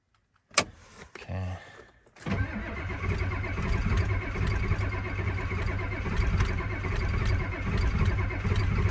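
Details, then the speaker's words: Cold start of a Ford F250 7.3 IDI diesel after throttle sticking at the injection pump: click, then steady laboured cranking for several seconds without firing; cranks but won't start, cause unconfirmed. "still should start though yeah see it's not kicking on"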